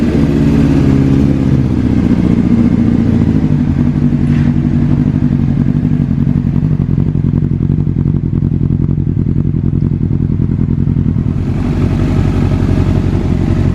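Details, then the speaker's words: Wrecked 2005 Honda CBR600RR rebuilt to stock, testing the replaced tilt sensor instead of the earlier fuel-pump bypass wire: fuel pump primes, then the engine catches into a strong, even run with no clatter, running normally. "so now let's go ahead and test this sensor and make sure that our bike is running good before we throw it together"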